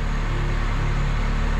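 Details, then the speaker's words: 1977 Datsun 710 idling after correcting the firing order from 1-4-3-2 to 1-3-4-2, which had caused backfiring under throttle; even, steady low idle with no stumbles or misses, running much smoother. "she runs hell of a lot smoother"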